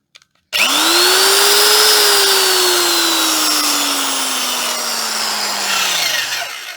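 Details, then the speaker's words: Vintage double-insulated electric drill with a replacement cord, tested for safety: the motor spins up to a strong, steady whine and winds down smoothly without grinding or rattling, with plenty of torque. Normal drill run. "these are a great drill they have so much torque yep that's all good tested safe"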